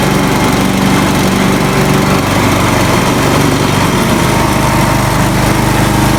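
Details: Swisher 60-inch trail mower with its blades engaged via a pulley off the engine drive shaft: a loud, steady drone, even throughout, with no knocks or belt-slip squeal. The belts may be in their last season, but it runs normally.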